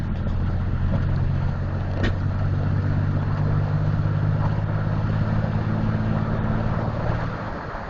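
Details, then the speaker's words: 1997 Dodge Ram 1500 3.9 V6, 200K+ miles, codes P0300/P0302/P0303, pedal floored then off, shifting to fifth at 50, slightly uphill then level: deep lumpy drone with cylinder 3 misfiring under acceleration; owner considering fuel pump/filter and injectors. "I do realize it says check engine and it's PO303. Cylinder number 3 misfire, I understand it. I just wanted to demonstrate what it sounds like."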